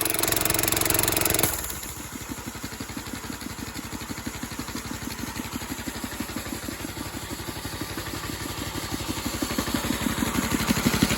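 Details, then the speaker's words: Old 8 hp Briggs engine at about 3,400 rpm with 4.5-inch pulley driving Rol-Air K30 compressor pump with idle-down unloader: drops from loud start into steady even beat near three per second, pumping smoothly under load; normal running. "Yeah, seems pretty good. I'm happy with that."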